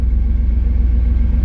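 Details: 1991 Pontiac Firebird V8 just started after installing a Hypertech chip, not yet at temperature: deep, steady burble with an even low pulse and no misses or knocks; idling smoothly.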